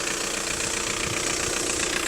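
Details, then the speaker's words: Car with 205,000 miles and regular oil changes and servicing: starts on the button and ticks over perfectly with a steady, even hum, no knocks, clanks or misses, not smoking; normal idle. "as you can hear the engine's ticking over perfectly it starts absolutely on the button there's no horrible knocks or clanks or anything coming Grim out of the engine it's not smoking"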